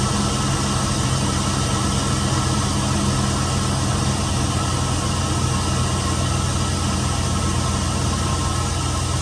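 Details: Chevy van with 4.8 V8 after water pump replacement and coolant refill, warming up to circulate coolant: steady, even idle with smooth low rumble and no knocks, ticks or misses; sounds healthy.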